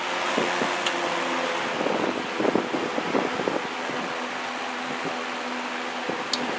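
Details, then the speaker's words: Vintage GE W22 box fan, very heavy, cleaned, missing piece replaced with a C-clip, back on high after low/medium: steady even whoosh with faint motor hum, no rattle or scrape, likened to a Lakewood 223 with later smaller Macmillan motor; normal running. "That is beautiful. Back to high. Almost sounds like a Lakewood 223 with the later, smaller Macmillan motor."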